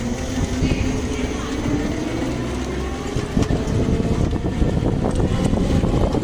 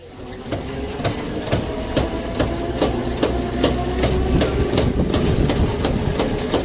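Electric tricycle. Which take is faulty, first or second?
second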